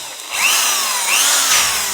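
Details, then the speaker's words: Electric drill after disassembly and fresh grease on the mechanical gears, tested forward and reverse: clean steady high whine rising and dipping with the trigger, no grinding; smoother than before since roughness came from mechanical friction. "Nah jadi kalau suaranya lebih halus Hebat ya kalau kita banyak size krisis ini suaranya lebih halus karena apa itu namanya yang bikin yang buat kasar itu adalah karena gesekan mekanis nya disini tadi"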